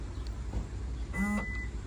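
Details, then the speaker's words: 2014 Toyota Camry, trunk won't open from the button; short electric whir with a chime but no latch clunk, though the trunk opens when the latch is pulled manually; failing trunk latch motor; trunk latch actuator failure. "you can hear it it goes but it doesn't Pop the trunk open try it again"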